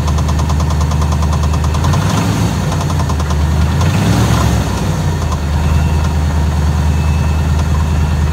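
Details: Engine at idle with steady heavy knock, fast and even, loud over a deep rumble; owner suspects rod knock or torque converter, unconfirmed.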